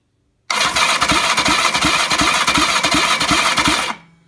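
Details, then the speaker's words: BSA Fury SS (E35SS) final starter test with plugs fitted at full compression on a not-yet-run-in engine: brisk, even cranking at about three compression beats a second that never drags; starter turns the engine over fine. "So we'll do a starter test with full compression as it is at the moment, i.e. not run in. Right, ignition on, contact."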